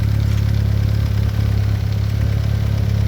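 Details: VW B5 Passat GLS wagon 1.8T, after a high-flow exhaust manifold upgrade: deep, steady idle rumble with an even beat and nothing knocking or ticking over it; runs smoothly.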